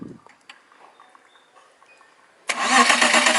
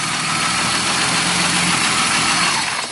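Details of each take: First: BMW E36 petrol car cranks but won't start: starter whirs about two seconds with even rhythmic chugging, about three per second, never firing. The fuel pump relay signal is present while cranking, so the ECU is judged normal; the fuel pump is being diagnosed. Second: BMW E36 petrol with fuel pump relay refitted: engine catches promptly on cranking and settles into an even, steady idle with no misses or knocking; starts normally.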